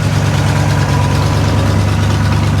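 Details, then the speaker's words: Square-body V8 jump truck at idle with choke on, idling down a bit: deep, steady rumble with even beat, no knocks or misses; healthy idle, though transmission fluid is leaking and an exhaust manifold leak is noted. "the choke came on it idled down a bit"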